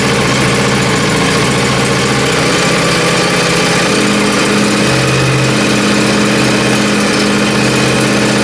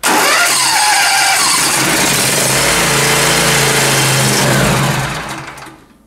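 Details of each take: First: Small single-cylinder engine in very cold weather, after a rough cold start at full throttle, settles into a steady, even idle with a constant low drone and no knocks or misses; normal idle. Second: John Deere zero-turn cold start test: fires and runs loud about five seconds, then fades and dies; cooling fan air blows the choke vane open, taking choke off too soon.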